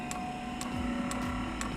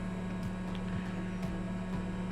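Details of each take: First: Eberspacher diesel heater fuel dosing pump on a test bench. Steady sharp ticks about twice a second over a low hum as it pumps air. The fuel line is not yet primed, so the heater will not start. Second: Eberspacher Hydronic 10 kW heater on a test bench, functional check, pump briefly run dry: steady low electric hum with faint sharp clicks about once a second; water pump running normally.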